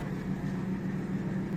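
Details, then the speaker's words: Washing machine stuck full in spin cycle: steady low drain pump hum with no flow gurgle, water level not dropping and hose not blocked; the pump spins freely because its impeller is broken, fixed by replacing the drain pump. "el nivel de agua no disminuye, aún cuando la bomba de drenaje está funcionando."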